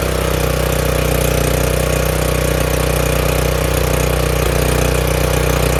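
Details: Craftsman RER1000 riding mower after a new fuel filter and a battery charge, oil slightly overfilled: small engine runs smooth and even with a steady beat, no misses or knocks; normal running.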